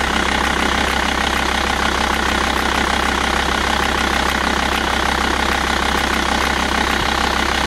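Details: Volvo V70 TDI (VAG) diesel at idle: a constant dry, metallic rattle over the engine throb, attributed to the timing belt tensioner, not the vacuum pump.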